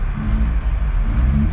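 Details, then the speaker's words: MK3 Golf with 295,000 km, engine unknown, just after start; deep, uneven rumble with a lumpy, unsteady beat, struggling: rough running engine, cause not evident. "oh man this thing sounds like crap i thought i heard it roll in yeah this thing's running rough"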